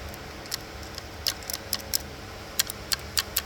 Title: BMW MINI COOPER 3CYL B38 Engine timing rattle noise